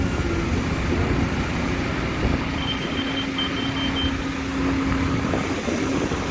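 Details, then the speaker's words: Grade indicator beeping faintly over heavy excavator rumble during watermain trench excavation, warning that the cut is not level. "Hear that beeping? It's beeping, that means it's not level."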